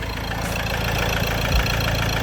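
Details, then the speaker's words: Ford Transit Connect diesel after oil sump replacement: a steady idle with a faint, even knock. The crank pulley's harmonic balancer rubber is failing and making it shake; a stretched timing chain is suspected, and replacing the chain with the pulley is advised. "But that noise can be timing. Little bit twist in the timing. I'm not happy with the sound."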